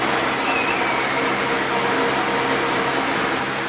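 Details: Car radiator fan motor after disassembly and repair, powered via ignition switch for testing: steady, even rush of air with no ticking, scraping or wobble; spinning smoothly, healthy.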